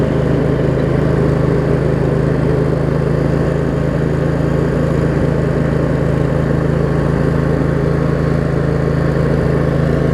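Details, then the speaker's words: Craftsman riding mower, Briggs & Stratton V-twin, after shift hub repair, started on choke and driving: steady even low hum, no misses, knocks or surging; running pretty good. "Oh here it's moved out a little bit after I've got it run wait it's all it's actually running pretty good"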